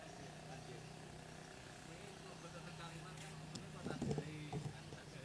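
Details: Scooter with newly replaced carburetor that still drips fuel: lumpy stumbling uneven idle instead of steady putter; air screw found fully closed, carburetor installed without adjustment, rough idle from misadjusted air screw.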